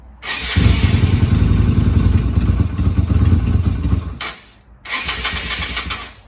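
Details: Yamaha Virago XV250 V-twin, not ridden in 8 years, oil slightly overfilled: cranks briefly, starts without choke and settles into a steady, even idle.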